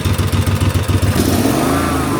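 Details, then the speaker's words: 20-year-old 2005 Snapper ZTR mower, about 1,500 hours, after carburetor replacement for uncontrolled revving: throttle blipped, engine revs up quickly then governor pulls it straight back to steady speed, no hunting; governed rev response normal. "I go forward, you can actually hear it decline. You can hear the governor pull it back down. It revs up real quick and it comes down."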